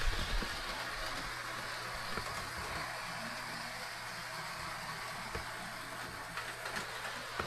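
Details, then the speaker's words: Proto 2000 model locomotive, believed to be a GP18, on the track under DC after the wheels/axles were addressed. A low, even motor hum with no catching, grinding or stutter: smooth running, with the earlier fault traced to the wheels, axles or both. "So it was the wheels all the time. That's interesting. Or the axles, I should say. Or both."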